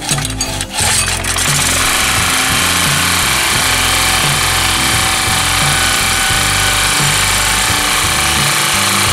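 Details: Yamamoto 4-stroke portable generator that had been hard to start, after a spark plug electrode fault was found: a brief cranking rattle, then it settles into a steady, even drone with no misses or stumbles. Normal running.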